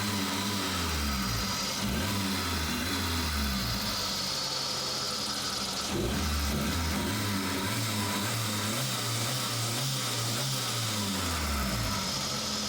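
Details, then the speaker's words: Suzuki Samurai after replacing fuel pressure regulator (old one's vacuum line browned, hard warm starting), fully warmed, thermostat open: catches readily, steady warm idle, slight pitch wander with throttle blips, no knocks; improved throttle response, normal warm idle. "okay the engine is all warmed up the thermostat is open it it catches"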